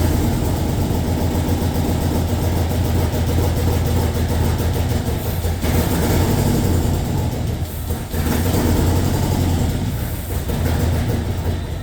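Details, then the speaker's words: LS2 V8 in a 1967 Corvette convertible, cylinders scoped with no rust, first start after probably nine years: catches and settles into a loud, slightly lumpy idle with low rumble, running steadily. "That's normal. And plus, what? This engine probably hasn't started in 9 years."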